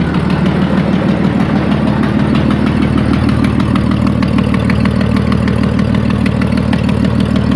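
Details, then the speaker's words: Ford ED Falcon turbo build before the new manifold/dump pipe: sharp fast ticking at about three a second over a rough idle, from a bad exhaust manifold leak at cylinder 6; it gets a bit quieter when warm. "I know in the other videos it's not super obvious that there's an exhaust Lake it does actually get a bit quieter after it's warm but it's leaking quite badly it's only from Cylinder 6"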